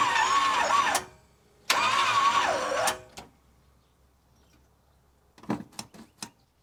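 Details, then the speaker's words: 1976 Chevy C30 dually, new Gen 6 454 big block, first start on jump starter with 5 quarts oil: two labored, slow crank attempts with straining starter, no start; throttle stuck and a fuel line leaking. "Okay, first off we got like no cranking power, and then our throttle got stuck."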